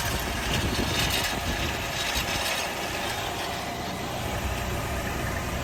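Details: 2015 Nissan Altima 2.5 SV at 75K miles, idling: steady idle with busy metallic rattle and faint high whine; source unidentified.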